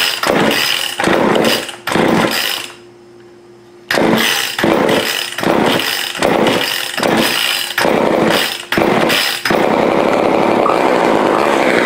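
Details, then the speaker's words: Old Craftsman chainsaw, two-stroke, after partial carburetor rebuild with diaphragm reinstalled correctly and exhaust refitted, no air filter yet: revs in sharp bursts, drops near silent briefly, then holds a steady even run; running properly. "well success all right next thing I've got to make a little air filter for this"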